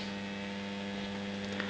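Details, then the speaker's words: Homemade moving planet clock for US mains, single motor driving ring and planet: constant low fixed-pitch electrical buzz; the motor is vibrating and noisy, cause unclear, builder intends to fix it. "it's just that the the motor is vibrating and causing a lot of you know a lot of um sense from it but I will try and sort that out as well"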